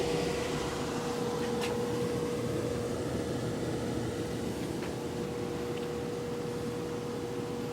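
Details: Brand-new Venmar EA-1500 air exchanger just installed: a steady airflow hiss with a constant mid-pitched hum that carries throughout the house, audible even with headphones on. Cause unknown; humming noise.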